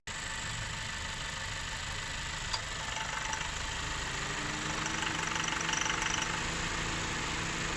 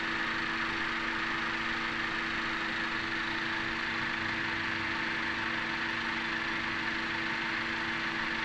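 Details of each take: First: 2017 Honda Accord petrol engine idling in gear, before Gumout All-in-One fuel system cleaner treatment: a light, fairly regular knock, the pinging later confirmed to come from carbon deposits on the pistons. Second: 2017 Honda Accord petrol engine idling smoothly after Gumout All-in-One fuel system cleaner treatment, with a steady hum and no knocking or pinging; the earlier knock was attributed to combustion chamber carbon deposits, now partly cleared.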